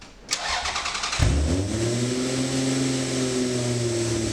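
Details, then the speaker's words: V6 1MZ-swapped Toyota MR2 at first start after a head gasket replacement: loud steady hiss from a large vacuum leak with refusal to idle, caused by a throttle body gasket fitted 90 degrees out and timing belt one tooth off. "You can hear a very loud vacuum leak and the car refused to idle and run properly."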